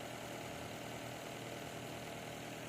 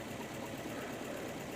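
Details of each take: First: Nissan Altima 2.5L hybrid in inspection mode after replacing the failed cylinder 3 ignition coil (P0303 misfire): petrol engine idles smoothly and evenly, all cylinders firing, codes cleared. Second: Nissan Altima 2.5 hybrid in inspection mode, petrol engine idling: slightly rough, uneven beat from cylinder 3 misfire (P0303); no rpm signal at coil 3, fault followed the coil when swapped, fixed by new ignition coil.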